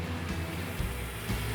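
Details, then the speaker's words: Freshly restored 1970 Plymouth Superbird in final assembly: a deep, even V8 burble with a steady low rumble and no knocks or misses. The engine runs smoothly and sounds healthy. "Sounds really good. Well, of course it does."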